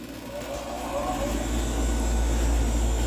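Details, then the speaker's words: Newly installed R-410A AC condenser replacing an R22 unit whose compressor terminal blew out, house near 85°F: a low hum builds quickly and settles into a smooth, even run without rattles. Normal running. "taking right off. Moving some heat already. Looking nice."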